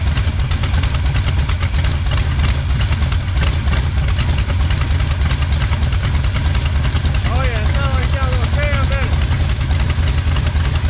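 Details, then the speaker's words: 1977 Pontiac Firebird drag car, sat about 36 years, no smoke: deep loping idle with slightly uneven chop, typical of big-lift cam, steady with no knocks; normal idle with cam lope. "cab oh hell sounds like we got a cam in it"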